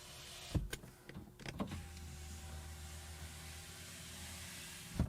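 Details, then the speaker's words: 2010 BMW 535i E61 wagon (auction car): a click then a smooth, even motor hum and soft stop as a power window travels normally. Three of four windows work perfectly; one rear window may have an initialization problem. "not too shabby all right that's not too too bad three out of four working perfectly"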